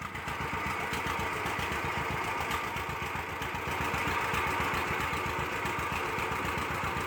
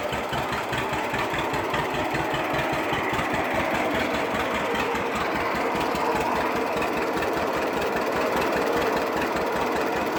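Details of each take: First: 1946 John Deere BO Lindeman crawler started with the manual carburetor choke left on: uneven, lumpy beat about four a second with stumbling firing; rich, rough running while leaving the garage. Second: 1946 John Deere BO Lindeman crawler engine: low, slow, steady chug with no knock or miss standing out; running sound.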